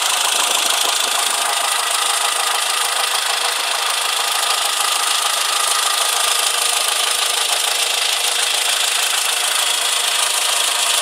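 A quick, fairly regular metallic tapping, roughly three per second, over a thin idle with no deep rumble; knocking of unknown cause.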